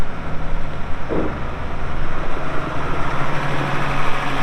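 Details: 1979 International 986 2WD cab tractor diesel, about 3,200 estimated hours (meter reads 2,321, not working), light use on ~50 acres: deep regular thump at steady slow idle, every beat even, no knocks or misses; runs great, normal diesel idle.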